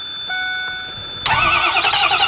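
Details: Old Ford diesel bus with low injection oil pressure (needs at least 500 psi to fire the injectors), with a jump pack added after readjusting terminals: warning chime dings, then a steady crank that never catches. Cranks, won't start.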